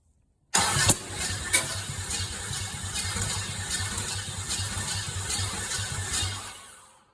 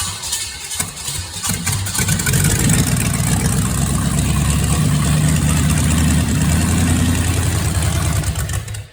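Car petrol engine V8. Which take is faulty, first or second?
first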